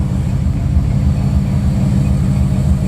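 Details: 1986 Buick Regal G-body, 455 big block with Holley EFI, just started after intake gasket replacement with good oil and fuel pressure: steady, even low rumble with a regular lope, no knocks or ticks; healthy idle.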